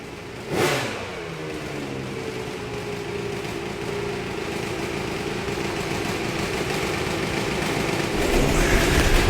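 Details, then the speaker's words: Honda 250R two-stroke with a 390PV CEO motor, after richening the mixture (it was ratty before): crackles into life and holds a steady even buzz that climbs smoothly with throttle; normal running. "YouTube, it sounds so much better since we richened that thing up. Before, it was real ratty."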